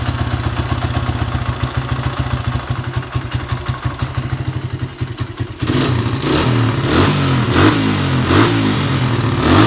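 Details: Suzuki Satria FU 150 that started hard and would not rev, after adding a ground wire from the black/white lead to the engine (carburettor not at fault): lumpy idle at about four beats a second, then clean free throttle blips.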